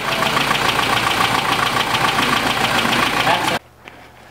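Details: 1993 Jeep Cherokee XJ with a 4.0 inline-six, fuel pressure about 35 psi while cranking, crankshaft position sensor suspected: rapid, regular starter churning at three to four beats a second that never catches during a spark test: cranks but won't start.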